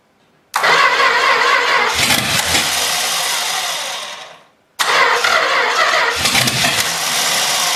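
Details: Long-sitting 318 engine, junked carburetor from sitting forever, primed with gas and jumped: it catches, runs ragged and uneven, fades out, then refires. Rough running blamed on the carburetor.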